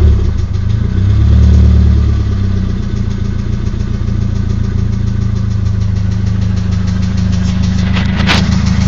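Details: SR20DET at low idle: a loose, regular ticking knock, about three or four a second, that disappears at 1250–1500 rpm. The owner suspects the VCT gear. Rockers, lifters and Mobil 1 5W30 oil are new, cams inspected OK, and disconnecting coils one by one was tried.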